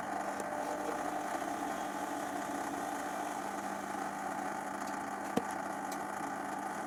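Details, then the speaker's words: Zanussi XC FJS1225 Jet System washer, 5 kg, 2003 serial: steady even hum with clear mid tone, no knocking or grinding; drain pump running healthy. "Pump's fine. Huh? It's going now."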